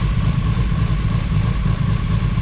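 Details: Built 2JZ-GTE in a 1995 Toyota Supra at a loud idle with an uneven, lumpy beat and recurring dropouts. It is running on five of six cylinders because one injector is unplugged. There was hesitation, oil pressure is 40 psi, and a compression test is planned.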